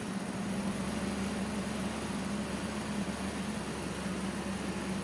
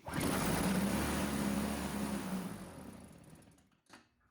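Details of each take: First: Old Toro CCR Powerlite snowthrower, small two-stroke, after fixing a carburetor needle installed upside down on the float: choked, primed and running on fuel without starting fluid, a steady even buzz with no stumbling. Normal running. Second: Old Toro CCR Powerlite snowthrower: fires on the primer, buzzes about three seconds, then sags and dies, so the carburetor isn't pulling fuel; the carburetor needle was later found installed upside down on the float.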